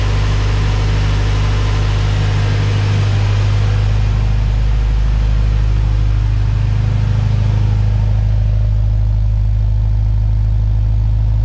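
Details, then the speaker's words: Honda B-series VTEC engine (98-spec Integra Type R) warming up after valve stem seal and lost motion assembly replacement: steady, even idle with a smooth low hum, quiet with little or no top-end ticking; normal idle. "all right guys so I'm gonna let the car warm up for a little bit sure everything's fine it's actually nice and quiet now I don't hear a lot of ticking from the engine sounds good"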